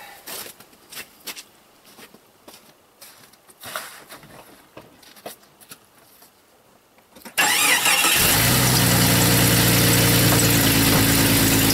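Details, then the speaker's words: Jeep after an emergency exhaust repair, broken pipe patched with a soup can and two hose clamps: engine cranks, catches and settles into a steady, even idle with a healthy exhaust note, as before it broke. "sounds good that's exactly how it was before it broke"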